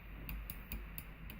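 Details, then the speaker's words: A&K M249 airsoft gun with an N7 engine and a Polarstar F1 connector board gives five sharp, light solenoid clicks a quarter second apart, firing semi-auto only because the FCU cannot be set to full auto. "you can hear my solenoid clicking there is no way to program the FCU to make this full auto"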